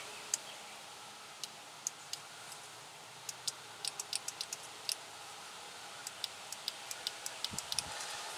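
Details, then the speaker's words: 2005 Chevy Tahoe door power window: sharp, irregular relay clicks with no motor hum when the switch is pressed; cause found to be a bad connection at the window motor. "now I can hear the relay clicking on off you can or not"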